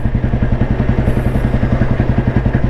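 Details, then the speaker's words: 1993 Royal Enfield Bullet with crank weight, in top gear gradually gaining speed from about 25 toward 40 km/h: deep, even thump-thump with no pinging, lag or knock; clean, healthy pull. "Top ഗിയറിലാണ് വണ്ടി ഉള്ളത് ഇന്ന് gradually speed എടുത്ത് കാണിച്ചു തരാം വണ്ടി യാതൊരു ലാഗും ഇല്ല യാതൊരു ഇടിപ്പ് എൻജിൻ യാതൊരു ഇടിപ്പും ഇല്ലാതെ വണ്ടി സ്പീഡ് എടുക്കുന്ന കണ്ടു എന്ന് വിചാരിക്കുന്നു"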